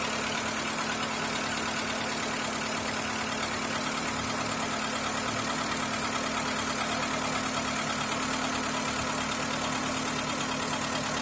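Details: Skoda Fabia 1.4 engine: a fast, fairly regular light ticking knock, about three per second, rides over a steady idle; engine knock, source unclear.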